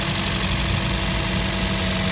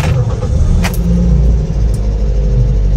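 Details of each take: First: Toyota Vios gen 3, about 28,000 km, first start after valve lifter replacement for ticking noise: steady, even idle with smooth low hum, no ticking or knocking; engine sounds healthy. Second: Toyota Vios gen 3, about 27,000–28,000 on the clock, owner complains of noisy engine: steady low idle rumble with busy, rattly top-end clatter just after start-up; valve lifters tapping from excessive valve clearance.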